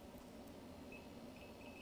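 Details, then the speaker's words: A/C leak detector probe at the Schrader valve of a new vehicle with about 8,000 miles: short high beeps start and quicken over steady hum, confirming a leak at the Schrader valve, likely just the Schrader valve; going back to dealer. "you see that we know there's a leak right in the schrader this is a new vehicle with about 8 000 miles on it"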